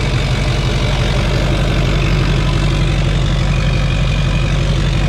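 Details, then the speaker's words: 2004 GMC Yukon XL 2500 with a 2006 LBZ Duramax diesel swap, first successful start after a fuse was sorted: the big diesel catches and settles into a steady, even idle with a smooth low rumble and no knocks or misses. "Oh, she's running. She's running."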